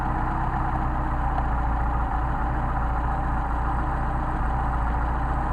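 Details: Rebuilt Solex carburettors for a Mercedes 190SL, synchronised on a test engine with the idle screws backed down to about 600 rpm: a low, steady idle with an even, smooth beat and no misses or hunting; healthy idle.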